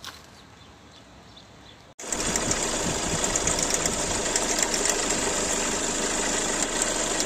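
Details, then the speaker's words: Hyundai Accent Blue at idle: rapid, fairly regular chattering rattle and bright metallic hiss from the V-belt area, caused by a faulty alternator pulley needing replacement. "daşlar aracımızı çalıştırdığımızda şu v kayış bölgesinden yani motordan bir ses alıyoruz"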